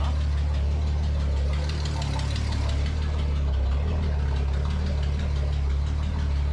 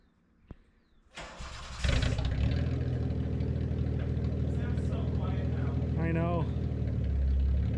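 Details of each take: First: Datsun 280Z, sluggish and hard to hot start, idling with ignition timing apparently around -5 degrees if the flywheel mark is true TDC: low, lumpy idle with dull uneven throb, no sharp knocks; rough idle from retarded ignition timing. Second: Datsun 280Z after ignition timing adjustment fixed sluggishness and hard hot starting: cranks, catches quickly and settles into smooth steady idle, no misses or popping, no longer shooting flames; normal running.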